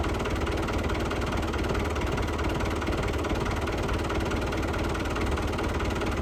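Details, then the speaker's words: Lifan 7hp GX200 clone on Frontier OS18 sawmill after head gasket replaced (loose bolt caused zero compression) and valve lash set: steady even fast idle, smooth chug, no knocks or misses; normal running. "Sounded okay too, so I think we got that figured out."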